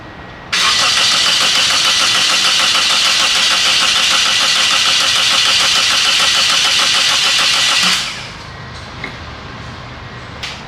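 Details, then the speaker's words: 2003 Toyota Corolla 1.8, towed in with no-start: about seven seconds of quick, even cranking with good-sounding compression and no hint of firing; no spark was later found, caused by the insurance company's ALDL adapter. "you heard it turn over it uh turns over nice and even nice even Cadence so it's not like a compression problem uh sounds like it has good compression but uh there's not even a hint of fire"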